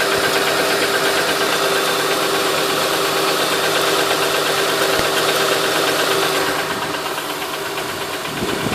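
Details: 2008 Honda Ridgeline: a light, even ticking of about three per second over a steady idle, source unknown; engine ticking.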